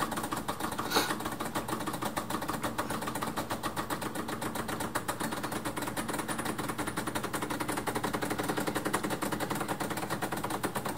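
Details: Decent Espresso DE1+PRO, after about a week of use, during pre-infusion of a shot: fast, even buzzing pump pulse holding steady as pressure builds; normal running.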